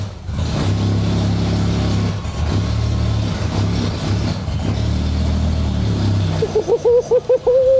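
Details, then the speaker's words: V12 Jaguar XJS, previously fired then died at once, now starts and holds a steady, even run on its own, then blips up in quick clean revs; healthy, unaided running. "Sick. Sick. It's running on its own. This is what I've been waiting for 18 months."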